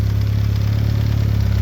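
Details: VW B5 Passat GLS wagon 1.8T, after a high-flow exhaust manifold upgrade: smooth, steady low idle with an even pulse and no ticking, puffing or hissing; engine and exhaust sound healthy.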